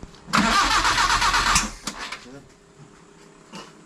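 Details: Nissan that would not start, after repair and two pumps of priming: cranks briefly, catches and runs, then settles to a quiet steady idle, normal start.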